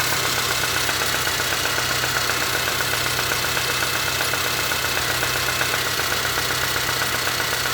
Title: my engine making knocking sound